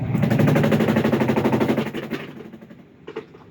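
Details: Midea top-load washing machine during spin: rapid regular knocking, about three a second, fading as the drum slows. Caused by a worn basket base; fixed by replacing the basket base.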